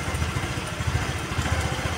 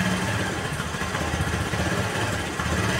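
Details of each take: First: Honda Vario 110 (KVB) carburetor scooter, rpm staying high after throttle release and hunting: idle thumps unevenly in lumpy pulses that sag and recover; carburetor setting incorrect, with a mis-set air screw and faulty auto choke. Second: Honda Vario 110 (KVB) carbureted scooter after carburetor refit and left air screw adjustment: steady low idle without surging; previously idle hunted up and down. Choke also faulty. Normal idle.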